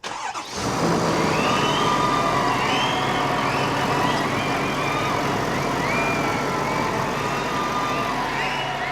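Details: 2020 Ford F-350 Super Duty diesel after fuel filter change and six key-cycle primes: engine catches within a second and settles into steady, even idle with no stumbles or knocks; healthy, no leaks.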